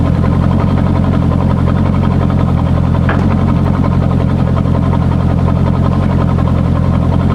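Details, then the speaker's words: C5 Corvette on a lift, exhaust cut open ahead of the mufflers: very loud, deep, raw idle rumble with a coarse steady pulse, like open headers or a broken exhaust; too unrefined. "it sounds just like when people have like open header pretty much, or like their exhaust is broken. So I don't really like the way that sounds."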